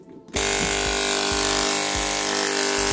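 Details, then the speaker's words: Hair clipper switched on with a loud, harsh, steady mains buzz; inside, the electromagnetic coil's mount had come loose, causing the excessive buzzing. "як ми бачимо вона гудить доволі сильно ми візьмемо викрутку та розберемо її"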